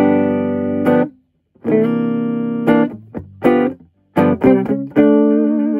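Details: Torque Acoustics T100L guitar amp (Made in England, about 1989–early 90s) after repair of a no-sound fault: guitar chords ring clean and full with crisp attacks, no hum, crackle or distortion; very tight sound, working.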